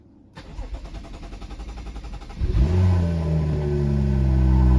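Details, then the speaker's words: BMW N55 after vent hose replacement, first start in a month after 2–3 minutes of ignition-on: starter cranks, engine catches cleanly and settles into a steady, even idle; starts fine, then checked for fuel leaks. "Here we go, guys. First start since last month."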